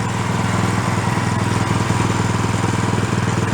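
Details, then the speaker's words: Small free roadside snow blower, single-cylinder, warmed up after repair with the idle circuit now working. Under a light load it putters steadily about two beats a second with no stumbling. Normal running under load. "give it a pot let it warm up much better [Music] a little bit of a load on it [Music] that's got it"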